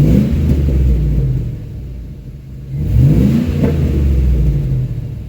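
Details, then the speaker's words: 2004 Buick Rainier with new brakes and lines but brakes still sticking, revved in a garage with echoing walls: rises cleanly through two blips and settles back smoothly, no miss, rattle or whine; normal engine rev. "That sounds nice."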